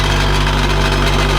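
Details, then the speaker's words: Honda Integra with an aftermarket twin-loop muffler at idle: a loud, buzzy metallic rattle from a broken muffler joint vibrating loose. The rattle stops when the muffler is held by hand; it needs welding back on. "So if I put my hand and hold it, you'll notice the rattling disappears. And then I let go and it's back."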